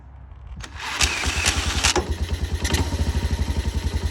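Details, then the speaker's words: Yamaha 225DX Tri-Moto three-wheeler under restoration, started with oil level checked after diagnostics. A few cranking turns, then it catches and settles into an even, quick single-cylinder beat of about eleven pops a second with no smoke; a normal start. "Fired right over. And no smoke. No smoke."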